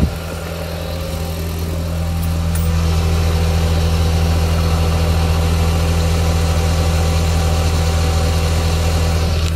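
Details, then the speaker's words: Audi TT power steering after replacing the lines and bleeding the air, engine running while steering lock to lock: smooth, even idle hum with no gurgling or pump whine, no air left in the system, normal operation. "it looks fine to me you'll notice that stressed about there's no noise of air in the system"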